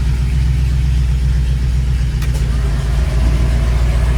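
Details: Studebaker Champ pickup engine at idle, vacuum about 16.5 and jumping slightly, indicating rings sealing and engine in good shape: deep, smooth, even idle with no misses, knocks or ticks.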